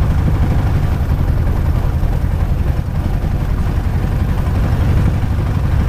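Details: Light aircraft piston engine, ground run-up after plugs cleaned: loud deep drone with lumpy, uneven beat; rough running with vibration, no mag drop; owner believes not spark plugs this time, cause unknown.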